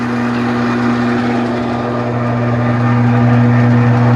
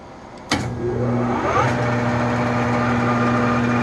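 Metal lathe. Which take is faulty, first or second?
first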